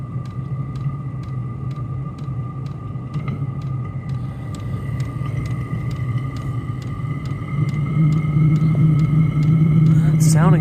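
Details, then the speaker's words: Chinese diesel parking heater, run without its exhaust fitted after an E-8 error repair: a steady fan hum with a high whine and a regular fuel pump tick about three times a second, combustion rumble building as ignition takes and smoke clears. Normal combustion and blower operation. "yeah we got a little bit of smoke starting now that we got ignition most of our Smoke's going away and uh we got blower"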